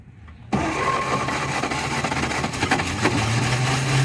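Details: 1948 Chevy off the road 55 years, wiring checked, fuel poured down the carburetor: brief crank then catches and settles into a rough but steady run on its own; normal start and run.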